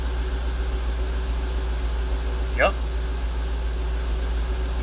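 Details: Jaguar XJR idling after alternator replacement: steady, even low hum, no knocks or misses, a couple of brief background squeaks, charging 14.22 V; running normally.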